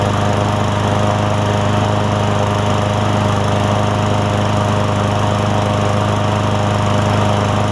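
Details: Craftsman M100 push mower after carburetor cleaning to fix no-start (suspected jet, primer or emulsion tube blockage): even steady drone at constant speed, no surging or dying; starts and runs cleanly.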